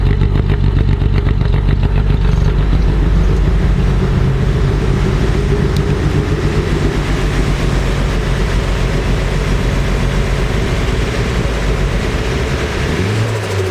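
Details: Freshly rebuilt Nissan S14 SR20DET with OEM parts, started completely cold: it starts fine, then idles with a shaky, lumpy, stumbling misfire. It revs up fine but shakes at any steady rpm, with black smoke from running very rich.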